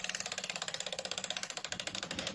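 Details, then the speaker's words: Hero Passion Pro motorcycle, front wheel spinning: fast, regular ratcheting clicks, about fourteen a second, that get louder and quicker as the wheel turns faster; worn speedometer drive gear. "पर यह आवाज आ रही है तेरे को कि जितनी fast चलेगी उतना ज्यादा आवाज आएगा"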